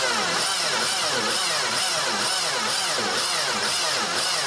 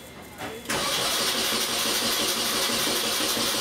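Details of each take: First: 2002 Mini Cooper 1.6, starter and battery already replaced, cranks very slowly: about two heavy labored compression pulses a second as the starter drags the engine, with 300-400 amp surges, from a seized alternator loading the crank. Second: Engine cranking after cause of heavy starter draw fixed, plugs reinstalled: brisk, even starter rhythm with no drag; about 100 A cranking current versus almost 500 A before; cranking now normal.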